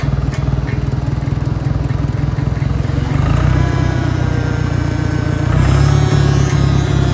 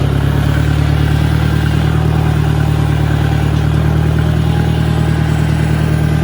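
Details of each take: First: Properly maintained 1963 John Deere 1010 tractor in first gear at about 1,000 RPM. A steady engine thrum with a mild, even gear whine rising slightly as it pulls: normal transmission noise. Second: 1965 John Deere 1010 tractor, not properly maintained, at 1,000 rpm in gear: steady drone with a rough clattering undertone, noticeably louder straight-cut gear transmission noise than a properly maintained 1963 1010.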